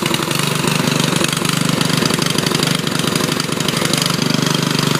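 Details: Riding mower with its engine cleaned of water and refilled with new oil, started by jumping the solenoid with choke: loud, raspy, sharp popping, running a bit unevenly. The loosely attached muffler leaks exhaust and backfires.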